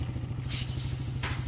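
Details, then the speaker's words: Timing chain side quiet after tensioner/timing work: steady low idle hum with soft even patter, no rattle or "helicopter" whirring from the top end; normal, healthy idle. "Tahimik na nga. Wala na yung ano, ingay. Hindi na helicopter, boss, ah."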